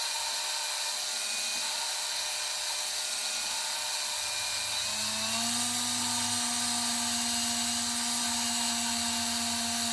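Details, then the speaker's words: GM 2.4 Twin Cam engine build, lapping a valve into its seat with a drill: steady whine with gritty, rough edge as valve touches seat, turning cleaner and higher as it smooths, signalling time to lift and reseat; valve bedding in. "And if you listen carefully, whenever you're doing this, you'll hear as the valve touches the seat, it'll sound kind of rough, and very quickly it'll start to sound a lot smoother."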